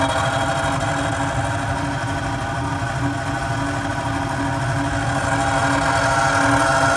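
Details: Carrier 800 TS Weather Maker furnace: loud continuous grinding rumble with steady hum, no speed change, from the blower assembly; blower motor replacement needed, cause suspected, not confirmed.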